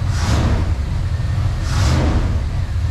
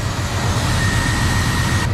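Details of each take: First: 1994 Chevy Silverado 1500 V8 with a rebuilt throttle body, revved on first start after 10+ years sitting: deep, even rumble with two clean throttle blips, no knocking or tapping; engine sounds healthy despite known vacuum leaks. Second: 1994 Chevy Silverado 1500 V8 with a rebuilt throttle body, on first start after 10+ years sitting: lumpy idle with a thin high whistle that cuts out abruptly, from vacuum leaks still to be fixed.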